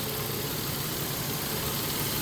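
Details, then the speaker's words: 2015 Nissan Frontier 4.0 after alternator replacement for a noisy alternator (suspected bearing or stator), battery light gone: smooth, even idle with steady hum, no whine, squeal or knock from belts or accessories; normal idle. "One more final inspection. Everything's back on. Engine's running nice and smooth."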